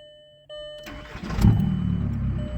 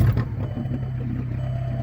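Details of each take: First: Turbocharged stick-shift car after the broken exhaust section was cut out and replaced with new pipe and clamps: starter whirr, then an even, steady low rumble with no leak, exhaust now exiting at the back; normal exhaust note after repair. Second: Turbocharged stick-shift car after a highway trip: loud, deep raspy drone far above normal, turbo more audible, exhaust cut off underneath right behind the driver's seat; broken exhaust pipe.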